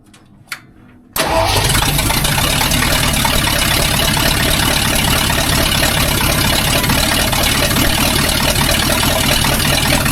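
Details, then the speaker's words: Rebuilt budget 302 V8 first start-up in tow truck after clutch, flywheel and distributor install, open headers: cranks after a pause, fires at once and settles into steady, even idle with no misfire; runs, 50 psi oil pressure. "I thought you said it was loud. Woo! We got a runner."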